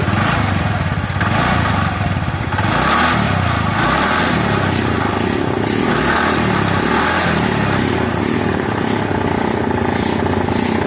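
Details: TVS Ntorq BS4 scooter brought in for an odd engine noise, heard after the faulty one-way part was replaced: steady, even idle with no knocking or rattling; engine runs smooth and sounds healthy.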